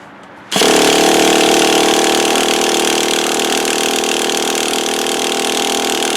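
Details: Traxxas T-Maxx 3.3 nitro RC truck after 8+ years in a shed, cold weather, started after EZ-Start battery recharge: sudden start then high steady nitro buzz, no stumbling; runs nearly perfect, like brand-new.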